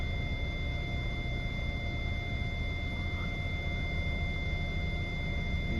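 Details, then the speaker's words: Hyundai i40 in reverse with nothing behind: rear parking sensors give an immediate steady, unbroken high-pitched constant beep, a false warning; centre or outer sensor suspected not working, cause not yet confirmed. "As you can see, there's nothing directly behind me on the camera there. But we've got a constant beep."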